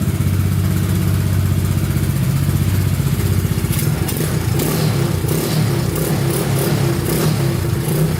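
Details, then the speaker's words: Honda Big Red ATC 200 (200cc) three-wheeler, barn find sat over 6 years, carburetor reinstalled and since stopped leaking: crisp single beat picks up cleanly with throttle and settles back without stumbling; normal idle and revving. "I'd say she runs pretty good. Carburetor stopped leaking."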